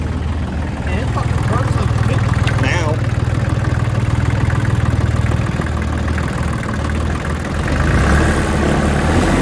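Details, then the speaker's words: 2003 New Holland TC29D compact tractor diesel, first run after sitting three years, new battery; lumpy idle clatter with uneven hunting beat under a steady knock; running rough. "i guess she just has the dirt nasty idol"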